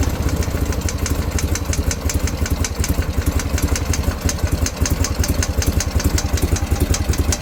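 Sharp, light ticks at about two and a half per second keep time with the boxer's tickover; a top-end tick of unknown cause.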